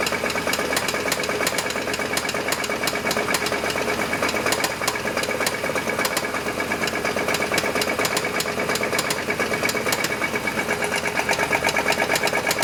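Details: Chevy S10 petrol engine at idle: quick, even knock near three per second over the running, isolated to the engine; owner suspects rod knock, unconfirmed.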